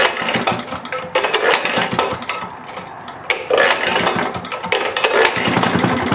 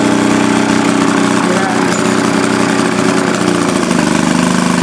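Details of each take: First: Maytag Multi-Motor model 72 twin-cylinder engine with WICO magneto, under restoration: uneven, weak putter that surges and sags, firing irregularly; it seems to be starving for fuel, running lean, a problem seen earlier. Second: 1937 Maytag Model 72 Multi-Motor twin-cylinder with WICO magneto, under restoration, refueled after it seemed fuel-starved, now under load: loud, steady, quick putter holding even speed with no misses; healthy normal running.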